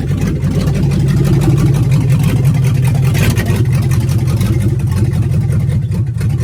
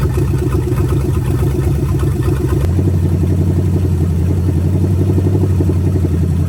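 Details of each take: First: Budget $500 283 small-block Chevy with Turbo 350 in 1985 Oldsmobile Cutlass, ill-fitting headers, driving slowly: deep V8 burble with uneven, lumpy beat and no crispness on throttle; runs terribly, needs a lot of fine tuning. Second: Budget 283 small-block Chevy with vacuum-secondary carb and open manifolds, just swapped into 1985 Oldsmobile Cutlass with turbo 350: deep loud steady burble, no misses or knocks; ran full cycle, thermostat works; normal idle.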